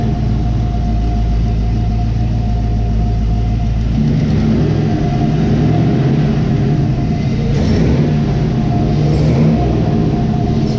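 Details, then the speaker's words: 1971 Chevy Camaro resto-mod, first start after getting fuel to the fuel rails, stainless dual exhaust: heavy low V8 rumble, clean throttle blips, no knocks or misses; sounds healthy. "All right. That sounded awesome. Yeah, it sounds good. Dual exhaust, stainless steel, all that good stuff."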